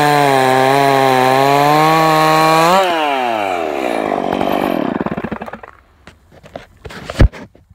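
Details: Stock MS461 with eBay ported muffler, well worn, over a year of cutting; hand round-filed chain used a week, no touch-ups; cutting a cookie off felled red oak. High revs dip slightly and steady as chain bites, winding down after: sharp chain cutting cleanly.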